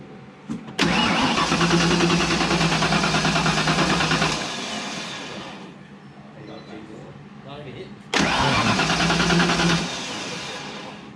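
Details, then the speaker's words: Turbo Fox-body Mustang, first start attempt after grounds were tightened: starter spins the engine briskly in two long bursts with even compression, but it never fires. Timing is close and fuel can be smelled; weak spark suspected. "We got something not. It's spinning good, but it's not trying to catch."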